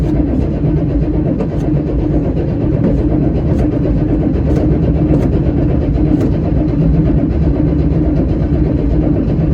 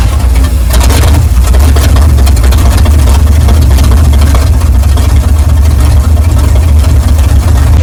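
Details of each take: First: 1979 Chevy Suburban 8-door shuttle cranking, 30 psi oil pressure building: turns over steadily but never fires; no fuel visible in the fuel filter, no-start from no fuel delivery. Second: 1979 Chevy Suburban 8-door shuttle, carbureted, first run after sitting, with gas poured into the carburetor and the throttle possibly sticking: a deep, steady, even rumble with no knocks, misses or surging. It idles fine, then dies.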